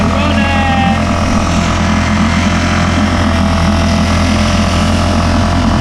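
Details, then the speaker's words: 5hp Mercury outboard just reassembled after repair, first start: steady drone with slightly uneven idle beat; rough running blamed on cloth left in the inlet manifold that pulled the gasket off, causing an air leak. "I've just realized that my cloth bombed in the inlet manifold and the cloth pulled off my gasket I've just noticed my gasket now so that's probably why it sounded a little rough"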